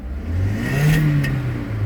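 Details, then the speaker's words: Car that stalls when the AC is turned on: the engine revs up and settles smoothly and evenly with no stumbles; the misfire count stays at zero, so no misfiring is present. "You can hear the revving right there. Disabled, enabled. So there is no any misfiring here."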